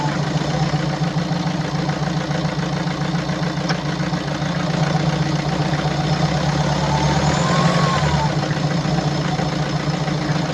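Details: 2017 BMW 525d F10, N47D20D 2.0 diesel, 218 PS, 138,035 km, at idle: uneven, slightly lumpy clatter wavering over a steady low drone, caused by defective injectors and defective swirl flaps.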